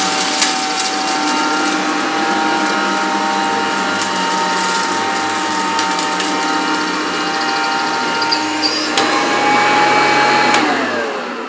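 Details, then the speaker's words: Maytag U5131 upright vacuum cleaner, 625 or 650 W, on short pile carpet: steady motor drone with a thin high squeal through each pass; owner suspects a worn belt needing replacement. "I could hear that squeaking, and like I say, I think it's going to need a new belt. I think that's what's causing that."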